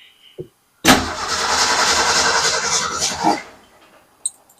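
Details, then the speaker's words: Car that died while backing into a space cranks steadily, about three and a half turns a second for two seconds, on a gas can with fuel line and filter, never catching; crank, no start, fuel delivery suspected, not confirmed. "So, she's going to be at the wheel and try and start this thing and make it run. So, let's uh head back here and give it a couple cranks. See if we can get some fuel."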